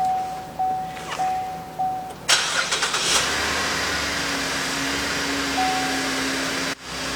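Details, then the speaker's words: Donor car started during a jump start, connected by cables to a dead-battery car and left to run 3–5 minutes to charge it: a few chime beeps, then a quick catch into a steady, even idle with no misses or knocks. "so we went ahead and started the battery. We're going to let it run for about 3 to 5 minutes."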